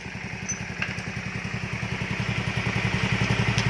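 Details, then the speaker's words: Yamaha Mio Sporty reassembled after fixing a heavy oil leak, with a hose fitted to the breather: small single settles into an even, quiet putter at idle, roughly four beats a second, with no knocking or rattle. Healthy. "Ayan mga boss, maandar na siya ngayon. Ayan, tahimik na."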